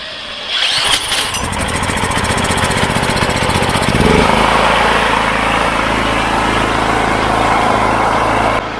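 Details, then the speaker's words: Wolf 5kVA petrol generator, Honda GX390 clone, left outside for years, electric starting with choke after engine service kit; starter whirs, engine catches and runs steadily, no misfires. Engine fine; generator output fault on electrical side. "So, well, the engine's fine now. I thought the engine would be giving us all the grief, but it's not."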